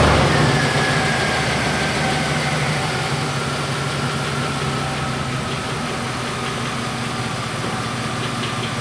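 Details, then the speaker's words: 99 GMC with 2013 Silverado 2500HD 6.0 V8 swap, after replacing injector number eight for fuel smell from passenger exhaust: steady even idle with no pops or misses, earlier exhaust popping gone. "I don't hear that pop back here that I used to hear they used to pop every once in a while it sounds good"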